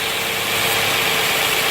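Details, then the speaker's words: 2009-2015 Nissan Maxima, code P0171, warm engine idling with a steady airy hiss; idle drops when the nicked hose is pressed and rises when released. Vacuum leak from a small nick in the second small hose plugged into the intake manifold. "Hear the engine idle down? Let off of it, idles back up. So anyway, there's a small little nick in that hose."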